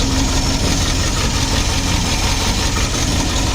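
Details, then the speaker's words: 1963 Studebaker Champ engine, stuck for 30 years, running for the first time with a toggle-switch fuel pump. Steady, even low rumble with no misses or knocks; a smooth, healthy idle. "It's almost like we know what we're freaking doing, dude. Jackpot, baby. Idling like a champ."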